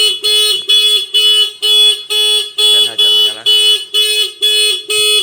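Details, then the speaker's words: Honda New CBR150 with WDA touch-sensor anti-theft alarm: ignition switched on without touching the sensor for 5 seconds, engine won't start, then loud pulsing siren about two bursts a second, no engine running; alarm triggered. "Langsung saja kontak on atau dibobol 5 detik sensor nggak disentuh maka alarm akan berbunyi. Coba kita starter, nggak bisa nyala ya. 5 detik alarm berbunyi."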